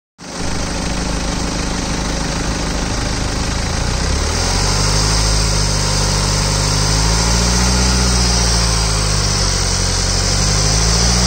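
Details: 2013 BMW 320d diesel at idle: a rough, pulsing low drone that shifts partway through; an abnormal engine noise of unclear source.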